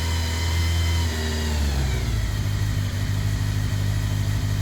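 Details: 2001 Kawasaki ZR750, older bike with a decent amount of miles, test run after heated grips and Oxford hand guards fitted: engine picks up smoothly and settles to a steady even run, no knocks, misses or rattles; normal healthy rev.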